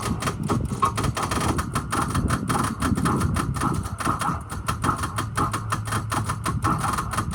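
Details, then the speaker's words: 2006 Ford E-450 Blue Bird bus. Rapid irregular clattering and clicking from the starter while the key is held, with no proper cranking rhythm; starter not engaging, suspected starter fault or bad connection. "making all kinds of noises coming from here where the starters at go ahead [Music] sounds like a starter wants to engage it sounds like a connection problem"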